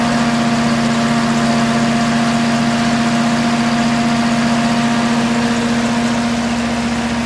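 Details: Ferguson TO20 tractor after gas tank and left front wheel bearing repair, started after checking fuel bowl and spark: strong, even running with steady hum and firm low rhythm, no knocking or misfire; running well.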